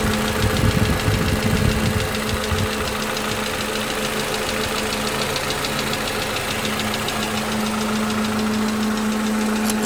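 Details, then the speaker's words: 2011 Toyota Camry 2AR-FE after lifter and rocker arm replacement (earlier lifter tick, stalling, cam/crank sensor codes); steady idle with AC on, no change in engine noise, but a faint quick tick about four a second, origin unknown. "AC is on. No change in engine noise. However, I do hear, I don't know how we can hear it, but I do hear like a slight ticking."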